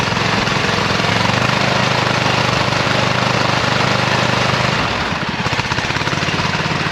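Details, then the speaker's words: 26 HP Kohler V-twin tractor under mowing load in deep grass drops into an uneven, lumpy beat after a few seconds as one cylinder quits. This is the intermittent misfire of about two years; a dead ignition coil. "so I've had an intermittent problem with this tractor where it starts missing and it seems like it's running on just one cylinder"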